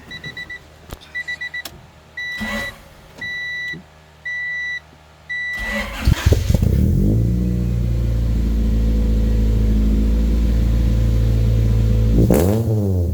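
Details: Honda Prelude no-start after battery terminal connections tightened, third attempt: door chime beeps, starter turns, engine fires and holds a smooth, steady idle; runs properly.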